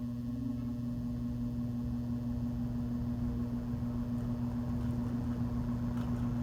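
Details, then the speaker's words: Vintage Kisco box fan: steady low hum and whir as it spins up slowly; smells funky when warm and may have smoked once; the motor sounds like it needs oil. "Figure I'll spin it around real quick and do the startup sound. Sounds like it needs oil."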